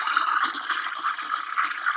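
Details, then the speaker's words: Steam wand stretching milk for latte art on a powerful steamer, tip touching the surface after dipping; light, steady hiss with soft rhythmic ripping as air is drawn in, unlike the wrong screeching sound; correct stretching sound. "Mulai full bunyi ngilu ini bunyi salah. Yang benar adalah bunyi stretching. Nah, ini bunyi stretching yang benar"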